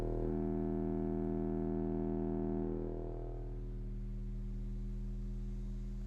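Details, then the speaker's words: Four-channel car amp under the driver knee panel of a Dodge Ram driving 6x9 front and 6.5 in rear speakers, radio volume 75%, gain turned up on test tone: clean hum turns buzzy and harsh, then clean when backed off; amplifier clipping distortion. "The hum will slowly increase. Eventually it'll come to a point where the tone completely changes. This is the most noticeable when your amp is set to play a higher frequency."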